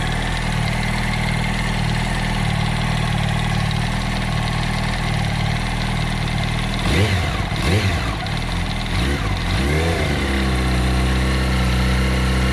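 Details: 2007 Yamaha R1 idling with a dull knock under the engine note, then a few quick throttle blips; owner unsure if camshaft or clutch springs or basket is the cause.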